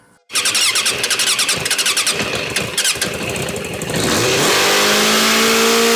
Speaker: So I got it running pretty decent.